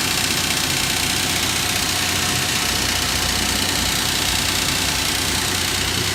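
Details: 2006 Nissan Frontier V6 idling: loose, uneven metallic clatter under a hissy running sound; oil pressure gauge fluctuates once warm; suspected timing chain slap from worn guides, possibly a bad oil pump, unconfirmed.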